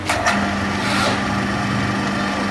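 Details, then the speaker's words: Belt-driven electric motor after tightening the loose, bent pulley (belt was too tight) and changing the bearing: a steady, even hum with one constant tone, earlier noise gone, no knocking or squeal; normal running. "तो दोस्तों यहां पर आप देख सकते हैं इसकी आवाज बिल्कुल खत्म हो चुकी है और मोटर बिल्कुल पानी की तरह चल रही है और किसी तरह का इसमें कोई शोर नहीं है"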